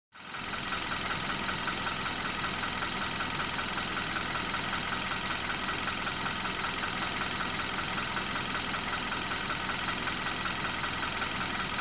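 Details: 2012 Hyundai Accent small petrol engine idling steadily with a light, regular knock of about two to three beats a second. The cause is unknown.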